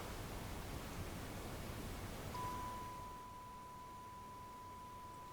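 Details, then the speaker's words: Fischertechnik driving robot on its battery pack, commanded through the diagnostics interface: after some hiss, a thin, steady high motor whine holds level but the robot does not drive, then stops. Owner suspects insufficient power. Motor whine without driving. "I hear the motor whining. And then stops again. So I'm still complete at the loss why this is happening, because it used to work flawlessly. The fact that the motor is whining may be indicating that the power is not enough."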